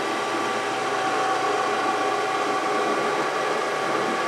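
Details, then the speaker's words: Brown & Sharpe 618 Micro Master surface grinder with only 5 of its 15 gallons of hydraulic oil: a steady airy churning hiss with a faint whine as the fluid aerates, and the table moves in a jerky, pausing way. "I think with 5 gallons in this thing, the hydraulic system's noisy and it's aerating the fluid."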